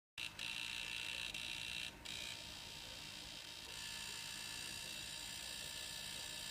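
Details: Wii U console: steady high-pitched whirring buzz with no rhythm, still present with the rear cooling fan and the optical drive unplugged; abnormal noise of unknown origin.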